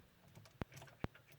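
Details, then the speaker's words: 2015 Dodge Dart that won't start: two sharp relay clicks about half a second apart after ignition switched off; dash and gearshift lights go out when key turned to crank, electrical problem. "I turn the kindig-it ignition off it clicks like that a few times"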